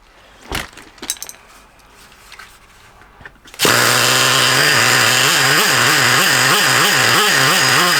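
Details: Traxxas Revo 3.3 nitro RC car engine whose owner turned the needle screws, leaning it out too much: after firing it screams high, surging up and down about twice a second; lean mixture.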